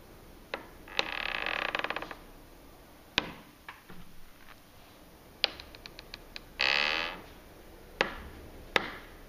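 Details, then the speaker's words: Patio door hinge, oiled per care instructions, started after about 10 months: high scratchy squeal in short bursts with clicks, recurring at same angle on opening and closing; door hinge squeak. "So, jetzt probieren wir das aufmachen. Und man hört jetzt das Quietschen. Und wieder zu."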